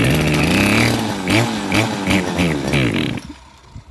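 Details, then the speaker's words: Model 411 two-stroke brush cutter that was hard to start and surged, after cleaning the exterior and base, before the carburetor clean: catches and buzzes through a few throttle blips, revving freely before dropping away; engine starts and runs. "เรียบร้อยเครื่องติดเครื่องติดแล้วทำยังไงเครื่องติดแล้วก็มุ่งใส่คาบูล้างคาบูตามนั้นเลยครับ"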